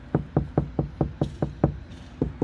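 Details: Ford Flex door top section, knocked from outside after four layers of KnuKonceptz sound deadener: about four dull, short knocks a second, no ring or rattle; solid and well damped compared with untreated section.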